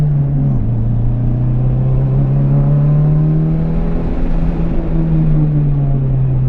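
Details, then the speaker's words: Mitsubishi Evo 5 on track in-car, on new 200-treadwear tyres: a steady whine rides over the engine and shifts in pitch with road speed, the rear differential making noise. "You can hear the rear diff making noise now."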